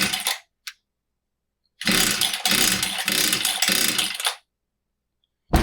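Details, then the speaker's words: Husqvarna 66 chainsaw that won't start: fresh fuel and a new filter, but the cylinder stays dry. After priming, quick cord pulls give sputtering pops that almost catch, so spark is fine and it is fuel-starved; the impulse port or carburetor is suspected. "So, the cylinder is still dry. We're not pulling fuel. Could be the impulse port. Could be something inside the carburetor."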